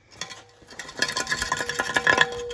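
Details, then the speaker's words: Passenger-side catalytic converter removed from a 2012 Jeep Wrangler 3.6 Pentastar and shaken by hand: loose metallic rattling and clinking as broken substrate tumbles inside. This caused the engine's rattling and ticking; separate low compression was also found. "is not supposed to be in there. There's something broke loose in the inside of that. So that was definitely the rattling and ticking, but it doesn't change the fact that I still had bad compression."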